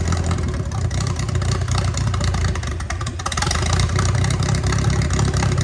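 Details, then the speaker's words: Mercruiser 3.0 inboard with a cracked block, first successful start after splashing fuel in, before the water test: a low steady rumble with an even idle beat and no knocks or rattles; it runs and idles smoothly. "oh it's it runs it runs ready one more time it runs"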